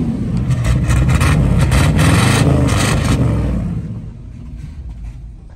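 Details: 1969 Chevrolet K10 350 V8, four-speed, sat about 40 years, just revived after dwell adjustment: deep V8 rumble picks up strongly on throttle, settles back smoothly, no knocks or misses; running healthy.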